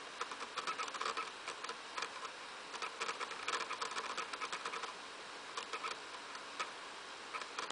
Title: Wii making rattling noise when loading from a game disc